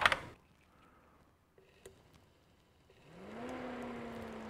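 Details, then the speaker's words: Pontiac Firebird engine cooling fans powered directly by jumper to the connector after overheating with fans not turning on: hum rises to a steady even whir without rubbing or ticking; fans work, so the fault lies elsewhere. "okay so fans work so it's not the fan which was probably likely all along but again gotta roll it out"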